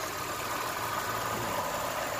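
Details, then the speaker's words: 1992 Lexus ES300 after ECU change, new cap and rotor, cleaned throttle body, new air and fuel filters, catalytic converter, Y-pipe and oil change: quiet, steady idle with no misfire, stumble or shake. "check out the engine I swear God not a single misfire like you can even listen she's pouring bro she is pouring not a single jerk"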